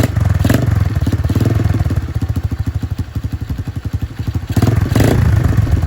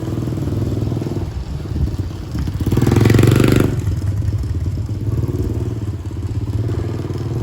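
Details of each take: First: Free Dirt Master 110cc pit bike, fresh fuel, broken choke, after twisting carburettor adjustment: low, uneven single-cylinder putter that surges and sags, firing irregularly; barely runs, needs more carburettor tuning; head needs cleaning. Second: Dirt Master 110cc single-cylinder four-stroke pit bike, fresh fuel: pulls cleanly through a brief rev and settles to an even steady beat; sounds healthy, though owner notes it won't shift up, possible gearbox problem.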